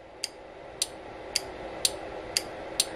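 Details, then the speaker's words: Power wheelchair motor's built-in parking brake energized with 24 V from a bench power supply: six crisp, bright clicks about every half second over a faint hum. It clicks on and off like a typical automobile relay; normal relay-like operation. "I can hear it click on and off. It's just this makes or breaks an electrical connection."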